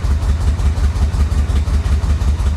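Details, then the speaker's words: Flood-damaged Florida Corvette, running on its own tank after the fuel pump was put back in the tank, pedal to the floor and smoking heavily: deep lumpy idle with an uneven low throb, engine rough and struggling to stay lit. "I've got the pedal to the floor this is the best it's done so far obviously it's it's not very happy but it's running"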